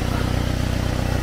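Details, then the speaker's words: Subaru WRX exhaust leak heard on startup, at idle: fast, even puffing tick in time with firing; cracked exhaust manifold found by feel at its far, catalytic-converter end, leak shooting back toward the engine. "we do in fact have a cracked manifold i found it you get your hand up in there i could feel it"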